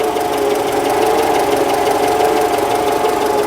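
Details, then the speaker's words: Citroen engine running loud and steady with a constant metallic scraping rattle over a droning tone; the alternator is doubted, the source is somewhere in that area, and the rattle stopped when a pipe was touched. "I'm not convinced it is the alternator. What is it then? I don't know, it's in this area."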